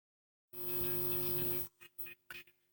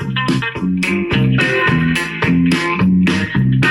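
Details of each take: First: Cheap amplifier board driving speakers, after swapping speaker cables and resoldering: harsh buzzing drone with hum and crackly bursts, only very faint music from one speaker; distortion, cable or whole amp suspected. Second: Cheap AliExpress TDA-based amplifier board cranked up loud: clean music with no hum or buzz, a reasonable sound, so the amplifier is working normally.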